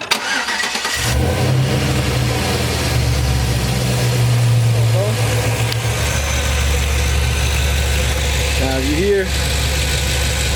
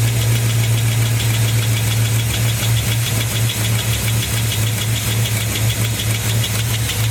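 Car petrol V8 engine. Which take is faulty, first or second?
second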